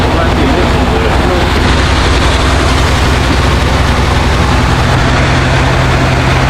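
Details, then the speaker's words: 2014 Ford F-150 5.0L V8 after starter, heater hose, upper radiator hose, thermostat housing replacement and throttle body cleaning, just started: steady, even low rumble, smooth idle with no misses or knocks, no coolant leaks. Normal idle. "man it's running good it's not leaking"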